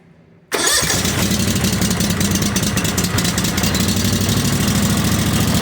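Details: Everride Warrior 60-inch zero-turn mower with a 25 hp air-cooled Kawasaki FH721V engine, after a slow-crank, no-start and backfire problem blamed on the starter: a quick crank that catches cleanly into an even idle with no pops; a normal start.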